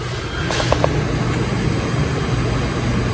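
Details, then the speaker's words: Mercedes OM642 3.0 diesel, newly installed swirl motor tested by scan-tool active test with key on: soft clicks as the actuator steps to 20%, over a low hum; the actuator is switching normally. "Oh, yeah. I heard it switch. So, now it's at 20% value when I press F2."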